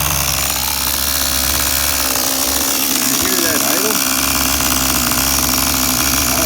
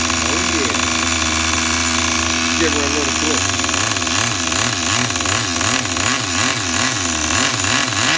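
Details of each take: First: Tamiya TGS-R nitro RC engine, factory carb settings (high 1.5 turns out, low 1 1/4 turns out), fresh fuel, slightly rich: fast, high buzzy idle holding steady with no stumbling; normal idle. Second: Tamiya TGS-R nitro RC engine on factory carb settings, just restarted. Buzzy idle that swells and sags about twice a second, uneven and near stalling; the idle is set too low.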